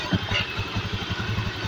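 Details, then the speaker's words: 2016 Honda Beat eSP scooter, after fixing total electrical failure, abnormal battery charging and non-working dual starter: engine starts on the starter with a short, even, steady putter without knocks or misses. Normal idle. "Sekarang kita coba Nyalakan nah motor sudah berbunyi mas Nah double starter juga sudah berfungsi ya"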